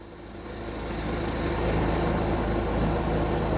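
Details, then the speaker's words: Hyundai 30L-7M forklift with a GM 3.0L engine on the GCP system, idling in open loop: uneven, shaky idle with a loping low pulse that builds as it runs, smelling of unburned fuel; the fuel pressure regulator has lost power, so it floods rich. "okay you can see how it's a bit shaky this is running uh very rough okay"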